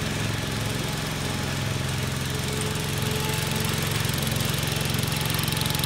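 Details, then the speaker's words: Commercial 12 mower with a rusted, holed deck, running: a steady drone with a strong, regular low throb three to four times a second; the deck shakes hard, and the owner suspects something may be bent, cause unconfirmed. "but it vibrates like crazy and I don't know that has anything to do with it but really vibrates a lot"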